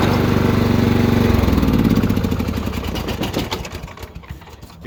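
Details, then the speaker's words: Troy-Bilt mower with a pulsating brake pedal, put in drive with the brake pedal released: rhythmic pulsing about four beats a second that slowly fades; worn, heat-damaged drive belt (754-0468/754-0467) causing it, belt replacement. "Ever have a machine where you put it in drive and let off the brake pedal and it does this right here? It's making that noise, that pulsating noise right here."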